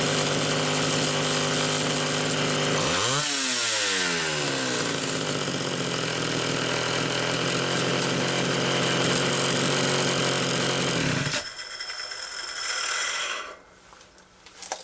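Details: Homelite Super XL chainsaw with new fuel hose, carburetor high-speed jet tuned slightly rich: crisp two-stroke scream steady at full throttle, clean revving, then cuts off; normal running.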